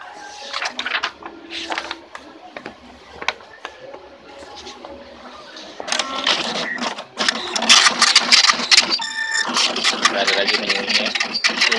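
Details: Tally T5040 dot matrix printer test print after tightening a loose print head bolt: even buzzing passes and carriage shuttles, sounding normal, replacing the earlier loud banging and scrambled output.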